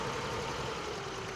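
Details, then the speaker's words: Older car with distributor-and-coil ignition, after cleaning the ignition coil pins and fixing an oil-fume leak from the head cap, with the manual choke opened: an even, settled idle with a steady low rumble and no misses. Normal idle. "now that we've uh kind of opened up the choke uh the engine idles better um everything seems to be working way better"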